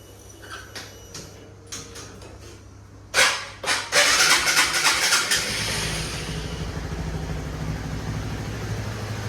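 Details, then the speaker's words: Honda Supra GTR motorcycle (K56 engine) on Moto Power Ultra Tech 10W-30 oil: a few clicks, then the engine catches and settles into an even, smooth idle with no rough or friction noise; normal idle. "Dia bunyinya langsamnya bagus. Itu yang pertama bunyinya ya normal lah. Enggak ada bunyi kasar, enggak ada bunyi apa."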